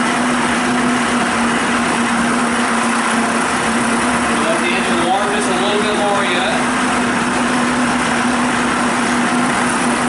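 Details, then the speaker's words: Evinrude/Johnson 25 outboard after carburetor reassembly, warming up before shutting the primer off: fast, steady buzzing idle at one even pitch, better than before; normal warm-up idle. "Once you figure that's warmed up to the point, shut the primer completely off. Better than what it did before."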